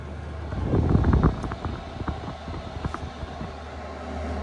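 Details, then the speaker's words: Chinese diesel heater after E-10 error code fix and clean-out, on power level 10: quick light even dosing pump ticks over soft burner roar; fuel pump and heater running normally at full output. "Oh yeah, listen to that pump now. Now remember, it's moving a lot of fuel, but that's on level 10."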